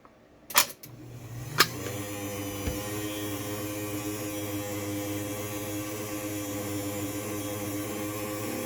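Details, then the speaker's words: LiftMaster 8550WLB-267 garage door opener refitted with a substitute motor after the original failed: after a couple of clicks, steady hum with a buzzy, slightly rough, noisy tone that doesn't sound quite right, though it works. "So, you can hear it's a little noisy. It doesn't really sound quite right, but again, it works."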